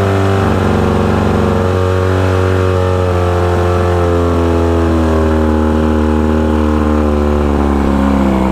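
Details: 1972 Mercury Thunderbolt 500 50 hp outboard on a 1971 Ranger Fisher King boat, after new switch box, ignition coil and timing belt; steady even drone, constant pitch, no misses or knocks; firing cleanly and running smoothly.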